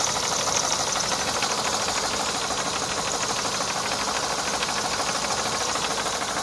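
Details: Mercedes W124 E230 1990 with M102 engine at idle: fast, fairly even ticking knock about three per second over a hissy background; engine knock.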